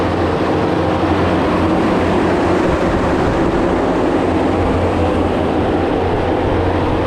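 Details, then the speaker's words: Mega Mower X 72-inch high-flow brush cutter on a diesel track loader, test run at 30 gallons per minute, lowest high-flow setting, spinning clockwise: heavy diesel drone with steady low cutter hum, no knocking or grinding; runs normally. "all right everything seemed good with that I uh I only ran that at 30 gallons a minute which is as low as the high flow would go I just wanted to give it a test run just to make sure that uh it's spinning in the direction that I want and it is it's going clockwise"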